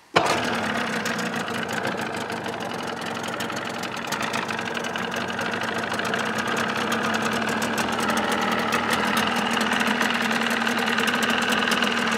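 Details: 1979 Evinrude 35hp two-stroke outboard in a test barrel, started with sound-deadening insulation fitted under the hood, reading about 85 dB; fires quickly and settles into a steady, even buzz that builds slightly, no knocks or misses; healthy.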